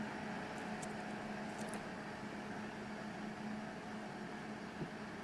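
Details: Peltier-cooled wine fridge with heatsink cooling fans in back: steady even fan rush with faint low hum, no rubbing or ticking; fans running smoothly.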